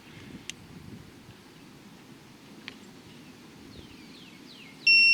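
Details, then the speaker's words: Torque wrench set to 9 foot-pounds tightening the six 10 mm thermostat housing bolts on a 2005 Honda BF225 outboard: quiet handling, then one sustained high beep as a bolt reaches set torque. "So we, like I said, have this set for 9 foot-pounds. We're going to torque all 6 of these down."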